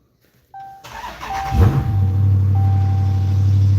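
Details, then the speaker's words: Dodge Magnum start after its battery had been plugged in for about a week and did not drain: a brief crank, then it catches at once and settles into a steady, deep idle with a light chime in the background. It is a healthy, normal start. "Start it up. Let's hear it. I mean, it starts like a normal Magnum."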